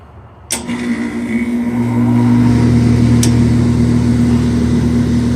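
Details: Old Bard wall-mount unit after its bad double-shaft blower motor was replaced, in cooling mode: a click, then a low hum builds into an even, smooth drone with no rattle or scrape. Normal operation.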